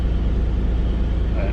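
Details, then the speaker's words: 2003 Mitsubishi Eclipse GTS 3.0L V6, five-speed manual, after fuel pump and filter replacement; dead cold, smooth even idle slightly high, no knocks or misses: normal cold idle; separate idle-bounce issue still undiagnosed. "yeah now idling a little bit high right now just because it you know it's cold you know she's dead cold but nice"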